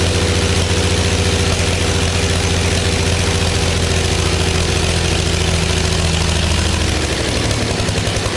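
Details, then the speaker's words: Early Case 930 diesel tractor, believed 1960, new filters, final filter primed, no exhaust manifold: loud lumpy unmuffled clatter, a couple of cylinders misfiring, liquid from one, dying off as it ran out of diesel. "You can tell a couple cylinders are not quite right. We're getting a lot of fluid or liquid out of that one."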